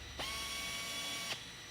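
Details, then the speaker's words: Flex tapping arm pneumatic air motor at 45 psi driving a 1/4-20 helicoil into a blind hole in aluminum; steady high airy hiss with faint even tone; hiss is normal by design. "So you'll hear the motor has a hissing. That's normal. It's designed that way."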